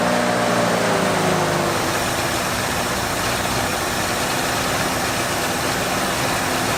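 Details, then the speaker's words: 1973 Ford Bronco 302 V8 after 10 years in storage, nonworking carburetor idle circuit (possibly mouse droppings): with the mixture screws at 2 turns out, idle fairly steady but with a slightly uneven beat; improved, still not smooth. "i don't think we have an idle circuit there is absolutely no idle circuit in this carburetor i do not know why it could be poop that is an option"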